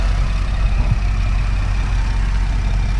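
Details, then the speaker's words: 2010 Camaro V6 manual with 110,000 miles and all-original exhaust, idling with the hood open. Low, steady, even rumble with no ticks, knocks or misses; a quiet, smooth-running, healthy engine. "Look at that. No real noises to speak of. That's a quiet engine, smooth running."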